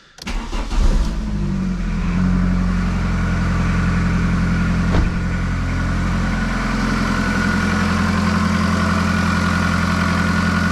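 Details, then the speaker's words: 2000 VW Polo 6N2 at 22 years old, engine catches after a short crank into a steady idle with a rough, busy diesel-like clatter; slow-priming fuel pump and sticky clutch also noted, cause of the clatter not confirmed. "we will switch on the engine so you hear the noise because it sounds like a diesel car so that's not good news"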